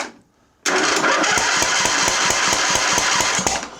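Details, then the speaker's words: 2007 John Deere LA135 Briggs V-twin, misfiring last season and now won't start: cranking with the air filter off gives sharp regular pops barking out the intake/carburetor, about four per second; valve train fault on the intake side. "so we got something barking straight out the straight out the intake we have an intake valve problem I don't know what what head it's on it's a valve train problem on the intake side so you've got a bent valve"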